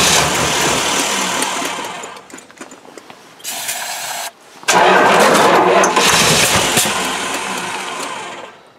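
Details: Mopar 360 V8 sat three years, fuel sprayed on top of the carburetor: cranking with a few brief catches, then dies back to silence; fires on primed fuel but won't keep running.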